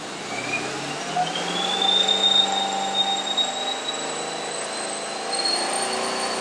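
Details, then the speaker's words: 1937 Cord 812 supercharged V8 with horizontal valves, roller rockers and a 6-to-1 supercharger, on a dyno sweep that loads and releases it (4,200 rpm engine, data to 4,000). A smooth note climbs steadily in pitch with no knocks or rattles: healthy engine. "You can hear the dyno is pulling down or putting a load on the engine, and then we let it go at a certain rate, and that's what's going to measure our torque and calculate our horsepower."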